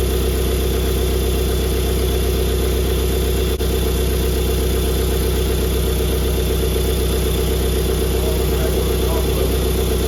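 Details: Flooded BMW F20 diesel, first start after rebuild, fuel system primed by opening injector ports, DPF not attached: even diesel clatter at about four beats a second, no misses or knocks; idles steadily and cleanly.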